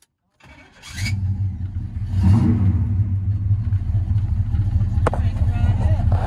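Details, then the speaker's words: 1970 Pontiac GTO V8 with dual exhaust, first start in years: catches then settles into a quiet, even rumble with no tapping or misfire; sounds as it should. Normal idle. "it sounds like she should the part i don't see nothing wrong with it she's running kind of quiet still got them dual exhaust though"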